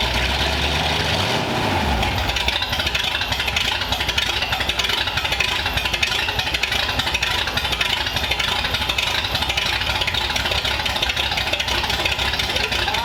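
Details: 1932 Ford Roadster engine's start in the car, with newly plumbed fuel system and modified headers: quick crank, catches and settles into an even, healthy idle under background hiss; a fuel fitting was leaking.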